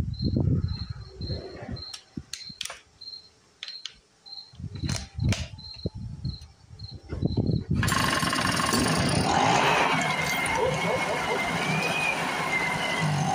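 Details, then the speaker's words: A Speedway Series 1000-watt two-stroke generator, bottle-fed with fuel, catches after several pulls and holds a steady but low-revving buzz. The owner thinks the rpm isn't high enough for consistent generator output, though the light did come on. "i think part of what's going on here is since i'm bottle feeding it we're not hitting high enough rpm all the time to get the generator to function"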